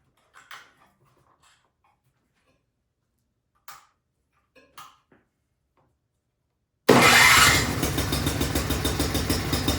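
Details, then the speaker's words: Craftsman snowblower after new carburetor and fuel line, oil warm after about 5 minutes running: faint clicks then small engine fires and settles into even steady putter with no misses; healthy idle. "okay it's running great now I popped the front of the machine up I let it run for about 5 minutes got the oil nice and warm"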